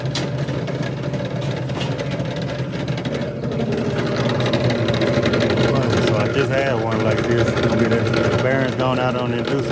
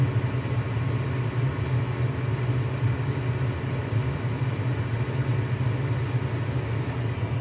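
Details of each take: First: Lennox furnace on a loud-noise call: a loud, steady motor drone with a rough hum from a worn, failing inducer fan motor. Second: Lennox furnace in heat mode: smooth constant low hum and rumble, no squeal, rattle or surging; normal furnace operation on heat.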